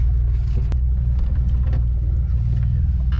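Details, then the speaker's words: 2007 Jeep Wrangler, six-speed manual, stock gears, 3.5-inch lift, 35-inch Milestar Patagonia mud tires on 17-inch rims: heavy rumble with uneven scraping as suspension articulates; tires rubbing fenders, owner plans to cut fenders. "so with all the rubbing hear that that's tires rubbing it's time to cut my fenders"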